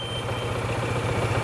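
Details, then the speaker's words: Vespa/Piaggio MP3 250 scooter that was run out of oil, at idle: a rapid, regular low knock on the engine note; rod knock from a failed big-end bearing. The motor locks up at speed. "you can kind of hear the knocking on it and it's easier with hear that [Applause] so that's a rod knock that specific noise right there"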